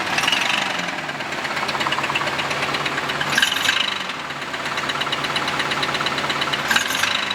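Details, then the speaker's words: Chevrolet Camaro engine started after a makeshift exhaust repair: loud, rough idle with heavy clattering knock, pronounced when revved, and sharp ticking; suspected loose connecting rods or crank journals, plus an exhaust leak. "rattle it's a knock so that's what we really heard pronounced when I rev the engine that sort of like rattling sound it's basically step bouncing around"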